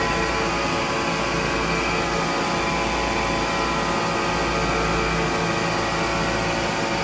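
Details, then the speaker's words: MEI hydraulic elevator machine room, pump motor running with oil below minimum level: steady motor-pump drone with whine on top, grinding at the end as the pump sucks air instead of oil. "Because at the end you could hear that grinding sound. That's because it was sucking in air instead of oil because the oil tank level got too low."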